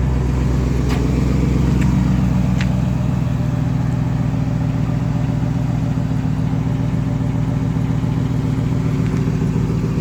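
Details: 2008 GMC Sierra 1500 Denali, L92 6.2L V8, resonator delete, axle dump, cold start idle and rev: loud deep drone with rough puffing chuff from an exhaust leak just before the secondary catalytic converter.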